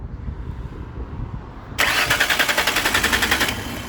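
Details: Car with suspected throttle body problem, cranking: even rapid cranking about three or four beats a second, engine never fires; crank no start.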